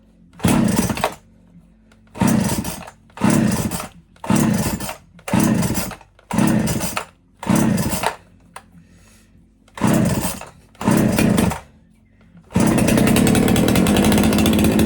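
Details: Erman EM5201 two-stroke chainsaw that had been bogging down, restarted after checking fuel reaches the carb: revs in short, sharp bursts, then holds a steady high rev; no bogging heard now, owner suspected dirty fuel.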